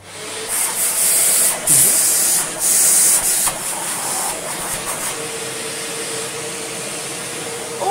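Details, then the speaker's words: Shark vacuum from a joblot with a smashed, worn-out head kept for spares: a steady, even high-pitched hiss with some handling noise over it. The suction motor runs normally. "so i think this head is good for spares and it has a working motor that's going to be as good as we need and it runs as well we have a working suction motor too"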